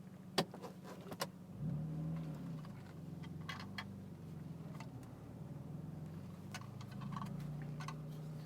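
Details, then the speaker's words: 1996 Toyota Supra, non-turbo, manual, being driven: engine hum with scattered light clicks and a faint jingle. An intermittent interior rattle that the driver thinks comes from the steering column. "also might hear that rattling a little bit I'm not quite sure what that's from it's something in the steering column"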